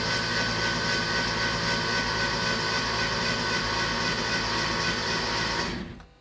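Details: Porsche 911 Carrera after an engine and cylinder head rebuild, first crank with spark plugs out and fuel injectors unplugged to prime oil and check pressure. A fast, even starter whir with no compression pulses; healthy.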